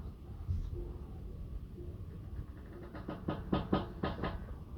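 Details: Tesla Model 3 Performance turning the steering at a standstill or while parking: short dry front creaks from the brakes, gone when moving; service centre called it normal, Brake Burnishing in Service Mode fixed it.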